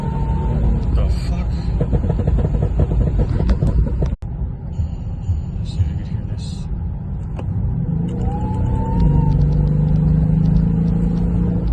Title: Weird whining sound? Where is it coming from?